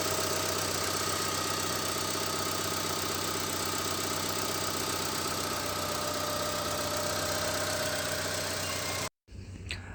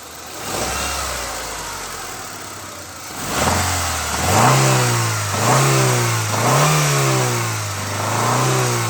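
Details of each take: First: Honda Stream engine at idle, not yet revved. It runs smoothly and evenly with no knocking or odd noises: normal idle. The owner's complaint is a clunking knock that appears only when revved. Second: Honda Stream engine revved from idle: quiet at idle, then a hollow knocking (ngelotok) rises with each rev, quickening and louder with throttle; suspected bottom-end knock needing overhaul, cause not confirmed.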